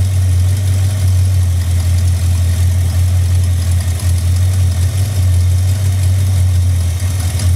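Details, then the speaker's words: 1971 Dodge Dart V8 idling with a deep, steady drone and a faint uneven flutter and shake. It is thought to have more vibration than a V8 normally has, though that is hard to tell, and the source is still being hunted. "so we're just rooting around to try and find this mess cuz we think the engines got a bit more vibration on it than a v8 normally ask"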